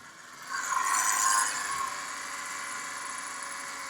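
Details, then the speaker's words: 2011 Subaru Impreza at idle, heard via stethoscope at the accessory belt pulleys: a loud steady high whine with light chatter, suspected dry idler pulley bearing, with noise possibly carrying between pulleys; the belt and idler pulley are being replaced. "right there definitely noise is coming from here but a lot less it could be the noise you're moving traveling from here to here so the noise is traveling from one to another pulley"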